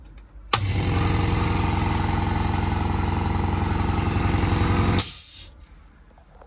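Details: New compressor in a plant mechanic's van, replacing a weak wall-mounted unit: steady low throb at about four pulses a second, even and smooth from start to stop; quiet (about 59 decibels), healthy running.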